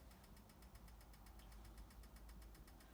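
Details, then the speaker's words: Auto Trail Tracker motorhome fridge switched to gas with the gas supply on: fast, even igniter clicks over a low hum while it lights, stopping once the fridge runs on gas; normal ignition. "that's the fridge igniting and then when the clicking stops you'll know you have the fridge operating on gas"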